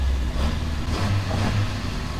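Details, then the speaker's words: 1986 Toyota Corolla AE86, carbureted, long-abandoned revival: holds fast raised idle at about 2,500 rpm with slight waver, never settling; vacuum leak suspected, burning oil, cause unconfirmed. "All right, now it's idling at 2,500 RPM. So we definitely got a vacuum leak somewhere."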